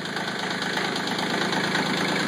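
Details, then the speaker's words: CK20 compact tractor diesel cold start at 37°F, owner suspects one or more glow plugs not working; after heavy smoke and a misfiring cylinder it smooths out to an even idle clatter firing on all cylinders. "getting there getting there Jesus just about smoothed out now now it's pretty much there"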